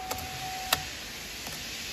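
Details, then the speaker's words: Chevrolet Onix/Prisma/Cobalt/Spin after ignition lock cylinder repair for key not turning: several sharp quick clicks as door locks actuate when the key is turned and the engine starts, no grinding; normal door lock actuation, indicating the computer works. "Ó você atenta esse barulhinho aqui rapaziada tem que fazer também ó ó quando desvirar a chave"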